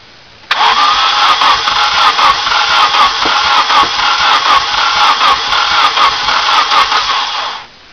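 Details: Nissan 240SX single-cam KA24E: fast even cranking for about seven seconds with no firing at all; cranks but won't start, owner suspects timing after repeated adjustments, cause unconfirmed.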